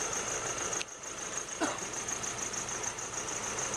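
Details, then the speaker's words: 2008 Nissan Navara D40 2.5 common-rail turbo diesel, rough running, black smoke, no power when cold: uneven lumpy idle beat under a high hiss; definite cylinder misfire, being diagnosed with scan-tool power balance. "As you can see, it's running quite roughly. Definitely have a cylinder miss."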